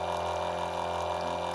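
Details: Small 12 V electric water pump drawing about 1 A, running noisily with a loud, buzzy steady hum and water rush. It is due for replacement with a quieter pump.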